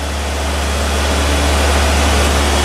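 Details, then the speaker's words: Triumph TR3A, about 60 years old, just out of storage: cold start on light choke, warming up. A deep, even burble with a steady low beat and no knocks or misses; a healthy idle. "so we've just got her uh on light choke and we just got her warming up so again looks like she's survived her storage"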